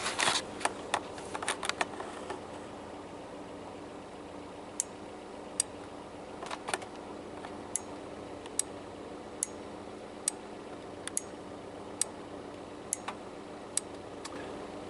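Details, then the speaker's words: 1989 Volvo 240 overdrive relay after its solder points were refreshed: pressing the overdrive button gives sharp, crisp single clicks about a second apart as the indicator light goes off and on; the relay now switches cleanly and works like new. "so with this thing newly soldered pressing the overdrive button here you can hear it click you can see the light go oh off and on"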